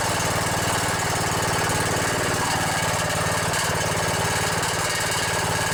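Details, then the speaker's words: Briggs & Stratton Intech 17.5 hp single-cylinder OHV engine on a vintage riding mower: steady chug at fast idle with a light metallic buzz on the exhaust pulses; loose muffler rattling, otherwise sounds good. "The muffler's rattling a little bit. Yeah, that rattle is the muffler. Well, other than that muffler rattling, sounds pretty good."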